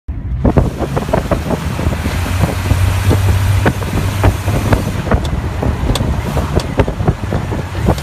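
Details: Jeep Cherokee while driving: irregular sharp pops a few times a second over heavy wind and road rumble. The popping seems to come from the rear; the source is still being diagnosed.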